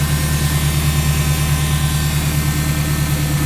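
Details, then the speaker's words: K24-swapped car with TSX hydraulic power steering pump on 6 AN lines both sides: loud, steady low hum with constant whine over the engine, then abrupt cut-off; owner suspects larger 8 AN lines might quiet it. Power steering pump whine. "So I got the tucked fuel line done and hydraulic power steering working, crazy loud."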